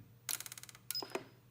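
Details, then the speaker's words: Allpowers S2000 Pro (AP-SS-009-PRO) power station with intermittent faults, at switch-on: a quick run of about eight sharp clicks, then single clicks; relays clicking at power on/off, suspected fault in their supply or control. "дивні звуки мають стовідсотко повторяємість і це клацають реле А це значить що щось не так з їх живленням або керуванням причому клацають вони при включені і виключені станції загалом"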